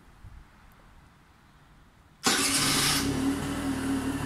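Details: Peugeot Speedfight 4 Matt Grey limited edition 2020 scooter, 730 km, first start after about 4 months of winter with battery removed, fuel reserve light flashing; fires on first press with a sharp burst, then steady even idle.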